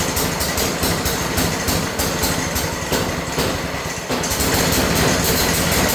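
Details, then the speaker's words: New Harbor Freight single-cylinder engine on a rebuilt American Cruiser go kart, first run: steady rapid putter at idle, even beat with no misses or knocks; running cleanly. "Let's go ahead and start it up first. Just let it run for a little bit."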